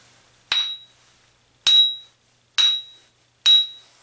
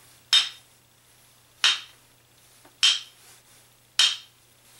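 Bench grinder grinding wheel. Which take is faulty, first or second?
second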